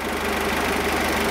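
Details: Peugeot 206 warmed to about 85°C, with the radiator circulating fine: an even, steady idle hum with a fine regular patter and no knocking or whining; healthy.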